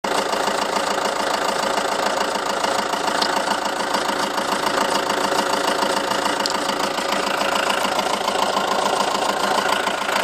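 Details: 2007 Seat Leon 2.0 TDI 140, 30k on the clock, just had cam belt, water pump and major service; steady light ticking, three to four a second, over smooth diesel idle, heard from nearside front wheel arch when stationary; source unknown.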